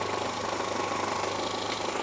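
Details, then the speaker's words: Renault Twingo that had been running on two cylinders, started after a connector was reconnected: a steady, even low idle with a regular firing pulse and no misses. Now running normally on all four cylinders. "Oh yeah. The Twingo is back alive. Sounds great."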